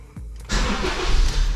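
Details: 2008 Honda New Civic cranking with a newly fitted Moura battery: brief, brisk crank catching within half a second into steady idle; voltage dips to about 10.2–10.5 V and recovers to 12 V; starter sounds healthy.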